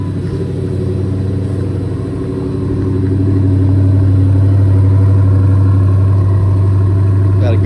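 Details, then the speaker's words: Dodge V8, started again: starts far better, low even burble holding a good stable cold idle, no hunting or stumbling; shifting also dialed in. "good stable idle, cold. I dialed in the shifting yesterday."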